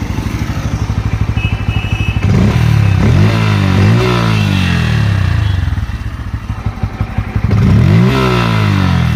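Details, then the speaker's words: Bajaj Pulsar N160 with the full clutch plate set, tensioner, chain sprocket set and spark plug replaced and a stock exhaust: a steady clatter over the exhaust beat at idle and as revs rise and fall; engine noise persists, cause unknown. "कोई issue नहीं है exhaust में जब चलाते तो यहां से आवाज जा है ये"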